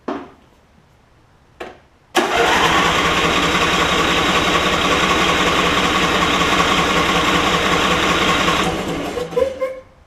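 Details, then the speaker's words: Craftsman PYT9000 MTD rider, low hours but stored many years, after cleaning the carb bowl and priming two or three times: a couple of short bursts, then about six seconds of churning before winding down; unclear whether it caught. "I'm going to prime it about maybe two or three times to get fuel back into the carb here and see if it'll run"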